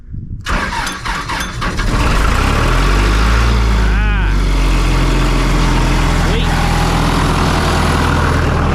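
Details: 1997 Sullair air compressor with a diesel engine and a John Deere reman injection pump, started on crank start after sitting in an auction lot with a possibly weak battery: a few cranking turns, then a strong, even idle with no knocks or misfires; healthy.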